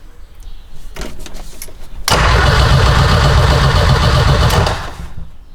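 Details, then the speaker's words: 6-speed big turbo sleeper wagon: starter turns over steadily for about three seconds but never fires; ECU shuts off while cranking, later suspected switched 12V source cutting out during key cranking. "the ECU is turning off when I crank it. That's a new one."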